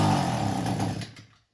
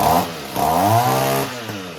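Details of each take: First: Echo weed eater two-stroke, carburetor pump section already cleaned: it runs ragged for about a second, then sputters and dies to silence; stalling after start, cause still unknown. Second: Couple-year-old Echo two-stroke trimmer, which had stalled and run poorly for over a year, after its carburetor was cleaned and repaired and its muffler cleaned: a quick throttle blip, then a steady, even buzz with no stumbling or hunting; running normally.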